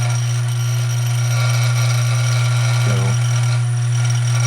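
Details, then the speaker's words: A Dillon RF 100 primer feeder gives a steady, even buzz after fine-tuning: spring tension was released and the rheostat turned about 1/8 counterclockwise to speed it up. It vibrates much more smoothly and quietly, though a small feeding issue remains. "this looks good. Having a little feeding issue up here, but this is so much smoother than it was. It's actually quite a bit quieter as well."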